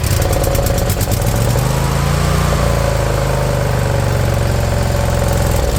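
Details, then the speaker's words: Briggs & Stratton Intek V-twin newly swapped into a mower replacing a blown Kohler Courage: low steady idle drifting up and down slightly; surging a tiny bit, expected to clear with exercise and fresh gas. "Surging a tiny tiny bit, but that'll come out of it. Just get a little exercise through it. Get some fresh gas through it."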